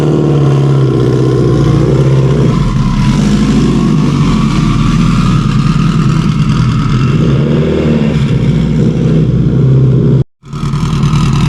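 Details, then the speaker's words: Subaru STI drag car with stock OEM EJ257 longblock, turbo, tuned for 1100+ whp: even, steady idle with smooth low rumble, no knocks or ticks, one brief dropout; engine sounds healthy. "she sounds good now let's get it got it it's bleeding off real quick but she's nailing real good"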